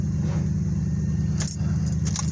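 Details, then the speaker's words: Chevy Caprice with a newly installed alternator and a completely dead, uncharged battery, just after connecting jumper leads from another car: slow, labored cranking with a key rattle that never catches; no-start from the dead battery. "Don't look like we got enough juice yet, so we're gonna have to let that set for a minute, because that battery was all the way dead."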